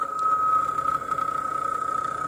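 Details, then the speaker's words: Hair dryer running in a cardboard box with thermal switch, fuse and all safeties bypassed, around 300 degrees, partially melted and smoking: thin high whine over a rough wavering air rush; failing fan noise. "Sounding pretty bad. This hairdryer has seen better days. It's been through a lot."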